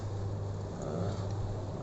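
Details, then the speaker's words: Sanken showcase refrigerator compressor, seized unit opened, repaired and reinstalled, started before slow freon charging with amperage checked normal: even low-pitched hum, smooth and constant, no knocking or grinding; compressor running normally. "Nah, ini kita nyalakan kompresornya, lalu kita mengecek ampernya normal."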